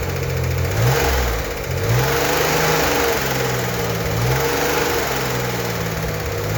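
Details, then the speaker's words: 1964 Corvair Monza Spyder turbo with a freshly rebuilt engine, held at 2,000 rpm for the 20-minute cam break-in. It gives a steady, smooth drone with no knocks or ticks and sounds tight and healthy; an oil leak later appeared at the turbo drain. "To break in the cam, we need to run the engine at 2,000 RPM for 20 minutes."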